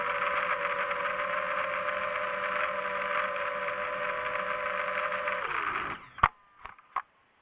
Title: Rattling Sound From Motor.